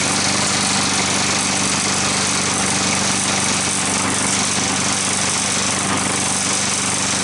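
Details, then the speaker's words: Curbside-rescue walk-behind mower running: a light, irregular tick that appears when the handle is pushed down and stops when it is lifted. "did you hear that ticking noise i lifted up the handle it didn't tick but when i pushed down the handle it ticked"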